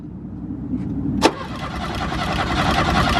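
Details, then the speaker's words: Porsche 944 that had sat for years and would not start: starter cranks the engine steadily with an even rhythm but it never catches; no fuel pump whine or priming heard, fuel problem suspected. "it's trying it sounds good but clearly we didn't hear it whining we didn't hear it priming we still tried it anyway it still didn't work"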